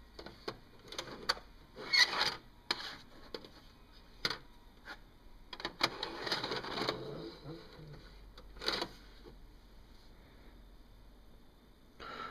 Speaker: The tape will not go in.